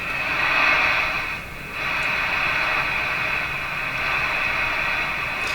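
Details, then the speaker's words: Johnson Messenger CB radio after a capacitor replacement, powered on restricted power on channel 5 with squelch fully down. Receiver hiss carries a steady high musical tone; the owner attributes the interference to his furnace fan. "that that musical Tony sound you hear in that that's my furnace fan making that interference"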